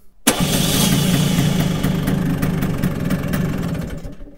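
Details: Vespa scooter, sitting unused for a while, started with the JF.EGWO 2000A 12V jump starter, one of five start attempts: small engine catches at once and buzzes evenly a few seconds, with some smoke. Normal start.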